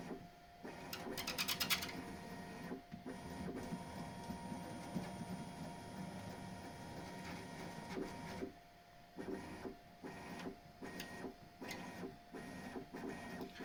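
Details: Bambu Lab X1 Carbon 3D printer, upside down: short squeaky chirps over the motor whir as the bed travels, slightly louder moving up. The belt rubs the edges of its tensioner roller; the squeak is fainter after soap lubrication.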